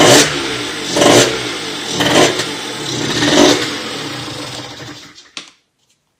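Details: Motorhispania RX50 Racing (Peugeot XR6) 50cc two-stroke moped, started on choke after side stand replacement, cooling not yet sorted: surges and sags about once a second, never holding even idle, then fades out; runs poorly, needs choke to keep running.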